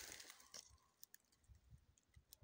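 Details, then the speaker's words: Electric fence rope on a temporary pasture strung without insulators: quiet, sharp, irregular crackling pops as the live rope leaks current to ground through wet, living wood; dry wood insulates. "чувате ли пукането значи по въжето има ток"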